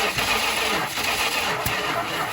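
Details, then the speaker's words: 1974 Dodge Monaco police 440 V8, valve cover off: starter spins engine fast and evenly with no firing; rockers move only slowly, owner suspects loose, improperly torqued cam gear bolt letting cam drive slip. Not confirmed. "it's like the Cam's still moving but just super slowly so I think what might have happened here someone might have done the time in and they may not have torqued the bolt correctly"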